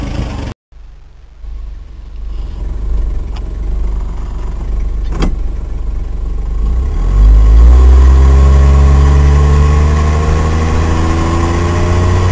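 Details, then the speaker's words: Truck after a budget exhaust and muffler repair: engine fires in about seven seconds and holds an even, mellow drone with no rasp or blowing, quiet enough in the cab to talk and hear the radio; normal running with quiet exhaust. "and the awesome part is that it's so quiet in here now that you can actually have a conversation with someone without without having to yell around a lot"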